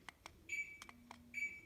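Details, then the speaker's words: Hunter SimpleConnect Wifi Romulus ceiling fan controlled through HomeKit while using the remote: the fan repeatedly turns on and off, with short beeps between clicks. This is an erratic control fault in a new-out-of-box fan. "I try to turn it on it turns on turns off turns on turns off"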